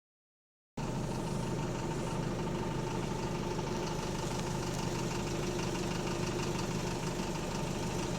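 Steady diesel rumble with a sharp, regular knock about three to four times a second riding over it: a worn connecting rod bearing.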